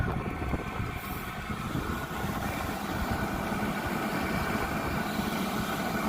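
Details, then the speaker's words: 12V 5kW diesel heater at startup, fuel pump audibly ticking ("knocking") as it runs; steady even rumble with soft fan hiss, no surging, warm output, battery holding 12.7 V, running normally. "Here it comes. I hear the fuel pump. Can you guys hear it knocking?"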